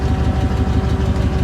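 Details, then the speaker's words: 1999 GMC tow truck, about 198,446 miles, idling with PTO engaged and compressor loading it: slow, heavy, lumpy thumping idle, too low to drive the equipment properly. "I swear this yeah that doesn't work it's not idled near high enough to be running this thing"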